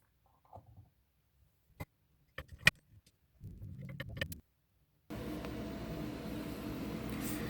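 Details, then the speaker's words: GeForce graphics card fan after removal, cleaning and lubrication with industrial vaseline: a few handling clicks, then a steady, even fan whoosh with no rattle or grinding; previous fan noise gone. "é bom pessoal a ta aí o resultado aí ó o cooler já não tá mais fazendo barulho oi vó tá rodando lisinho"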